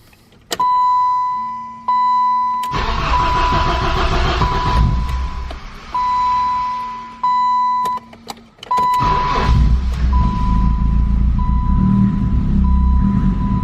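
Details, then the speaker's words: 1988 BMW E30 M3, cold start after sitting 6 months in neutral: short cranking bursts, then it catches, oil pressure comes up and it settles into a loud but even exhaust rumble at steady idle; normal cold start. "Just pop the hood. All seems well. It's got a really loud exhaust, but it sounds good."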